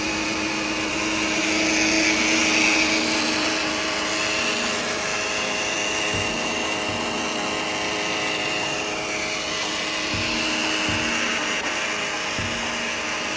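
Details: 2013 Mercedes C250 with the engine off: a steady high electric whine with slight waver near the turbo intake lasts up to 5 minutes after shutoff; the Bosch auxiliary water pump is suspected, and the sound stopped when its top was touched.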